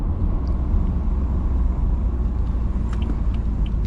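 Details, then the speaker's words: 2012 BMW F30 335i (Stage 2+ MHD, Stage 3 XHP) driving over bumps after a cheap fix for the squeaky suspension: only low even road rumble, no squeak or creak. Bushing still needs replacing eventually. "I definitely feel like it's better so if you guys have a squeaky suspension or anything you can go ahead and try that cuz it's a cheap fix"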